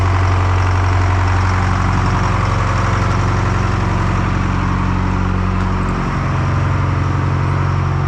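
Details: Detroit 4-53T two-stroke turbo diesel running a two-tank WVO system at about -20 to -28°C, restarted after replacing a burst diesel fuel hose: deep, steady drone with even firing, no stumbles or misses; healthy cold idle.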